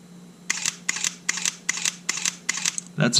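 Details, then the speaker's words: Sony A7 after mode-wheel sand cleaning and shutter motor refurbishment: seven quick, crisp, even double-clicks at about two per second with no grating, versus grinding before the repair. Shutter clean. "clean that is clean clean yeah that is super clean"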